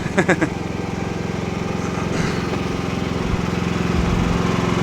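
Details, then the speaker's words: Small generator running unloaded after the power was switched over to the 12-volt solar charger setup: steady, even hum, no strain or hunting, no longer pulling; normal unloaded running. "It's going to cut all the power inside, so everything has to start over. There we go. So, did you hear that change in the generator?"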